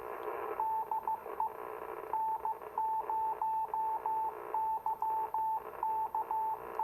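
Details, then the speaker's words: 40-plus-year-old Icom IC-251A 2-meter all-mode radio receiving a 2-meter beacon through a Yagi: a clean, steady Morse beacon tone over light hiss, with slight power-line buzz and no distortion or drift. Receiver audio is normal. "Ooh, sounds good. Nice, clear audio. Not bad at all. Again, you know, 40-plus-year-old receiver here."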